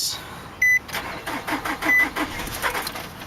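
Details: 2003 Nissan Altima 2.5 with a blown engine, sitting 8 months, jump-started from another vehicle: a chime, then quick, light, uneven cranking that never catches; won't fire for lack of compression, flywheel reportedly bad too.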